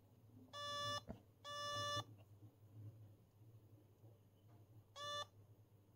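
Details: 1979 homebrew dual 0-30V 0-1A linear power supply, current limit set around 500 mA: shrill half-second beeps, three uneven bursts over low hum; current limit tripping its overload sound alarm.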